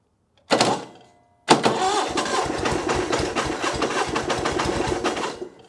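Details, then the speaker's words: Onan engine on a Davis/Case trencher after an adjustment of a quarter turn: catches after a false start, debris blows out, runs with a rough regular knocking pulse over the idle; slight knock, cause unknown. "back it up yeah little bit of a knocking noise but we'll ignore that"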